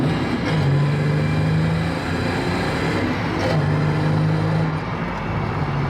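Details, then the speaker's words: Holden VS Commodore ute, freshly refuelled, after fuel pump work and a 411 LSD diff fitted: two clean, strong revs rising smoothly with no stumble or hesitation. Acceleration feels similar to before, but it seems to hit a bit harder. Normal acceleration. "Same sort of acceleration, but again, when I did the fuel pump in the last car, the acceleration was pretty similar, but the torque was very different, and it did feel like it hits a bit harder there."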